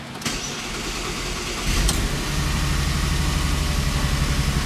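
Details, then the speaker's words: Audi engine started again after a two-year layoff and reinstallation, oil topped to 5 of 8 quarts after low oil pressure on the first try: starter whirrs, then an uneven, lumpy low rumble with a slight wobble; it runs rough, cause unknown. "I mean, that doesn't sound that great."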